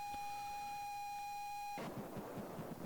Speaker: Can you hear the sound? Looks like a massive rumbling. Come on. Oh no. Not a good tape.